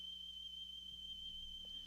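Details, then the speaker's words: Sony Walkman WM-F2015 from the 1990s playing a 3 kHz test tone: steady whistle sits slightly sharp, so the tape seems to run a bit fast; owner suspects belts too tight. "uh it sounds a little high to me so i think it may be playing a little faster because maybe the belts are too tight"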